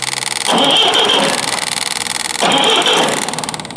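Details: Forklift engine cranked right after new ignition points were fitted, to check for spark: two short bursts of raspy starter cranking, engine turns over but never fires.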